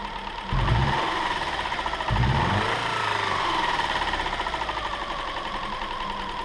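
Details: Subaru 2.5 SOHC interference engine after accident-shattered cam pulley and broken timing belt, new belt fitted, test-fired without cooling system: cranks, catches twice, settles into steady, slightly uneven idle, no knocking, some smoke; runs fine, valves apparently undamaged.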